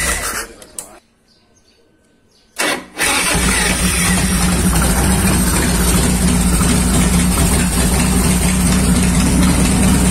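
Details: 1990 Harley Fatboy Evo V-twin after a carburettor clean (clogged jets had stopped it starting): brief crank, fires at once, settles to a steady low idle without stumbling; starts and runs properly.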